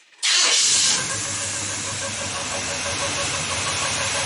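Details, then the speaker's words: Rebuilt engine with Edelbrock carburetor: fires with a hissy roar and a faint steady whirring squeak over the idle, mistaken for a bearing; cause was the fuel pump diaphragm squeaking, not the bottom end. "it was all just a squeaking diaphragm on the fuel pump"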